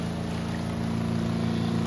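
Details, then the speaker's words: Costway Giantex spin dryer on a 2-minute spin with two items, water draining out: steady low hum with a couple of fixed tones, louder while the basket builds up speed, then quieter; a normal spin-up. "As it builds up, it's louder as it builds up. Once it's built up, it gets quieter. And it's going to go for about 2 minutes."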